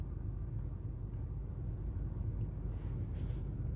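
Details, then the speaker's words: 2017 Honda Fit 1.3 after engine decarbonizing chemical clean, before CVT oil change: low, even idle with a steady beat; misfires fell from about 10 per cylinder to one remaining in cylinder two, engine now runs smoothly. "А так вообще двигатель работает ровно. Одна вспышка только. Так что химия работает."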